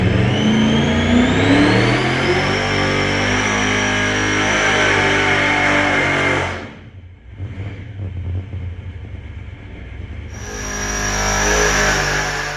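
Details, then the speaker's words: 483 big-block Chevy, supercharged with alcohol 4150 carburetors, on the dyno with possibly some E85 in the fuel: hard pull climbing in pitch cuts off after about six seconds into uneven running; catastrophic failure with a burnt piston. "Yeah, that went south real fast."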